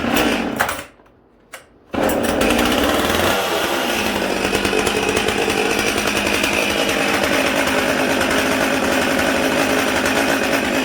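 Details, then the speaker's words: 1986 Husqvarna 44 chainsaw (about 43–44cc): after a couple of pulls it fires and blips up, holding a crisp, even high buzz without stumbling; strong, torquey and healthy, normal running. "This saw cuts way above its size. Very torquey. It's actually impressive. Let's fire up so you guys can hear it."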